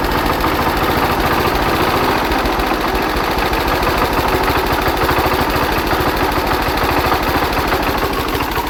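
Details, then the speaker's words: Hatz diesel converted to Otto cycle on woodgas from a gasifier, after retarding ignition about 10°; crisp, steady chuffing of about three beats per second, running smoothly and sounding much better; normal running. "it's about 10° earlier now now I'm very oh that sounds a lot better"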